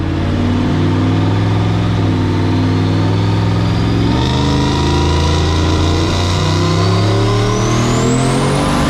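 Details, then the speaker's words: Turbo 4.8L LS in a 1965 Pontiac Tempest, full-throttle dyno pull with more wastegate spring: pitch climbs smoothly with no breakup or popping. It runs clean, making about 714. "yeah that sounded much cleaner yeah 7 14. all right 7 14 but it cleaned up"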